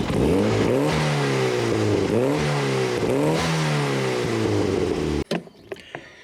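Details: Turbo Miata, first start after the ignition timing was set: catches and runs with the revs swinging up and down before settling fast; the idle sits a little high.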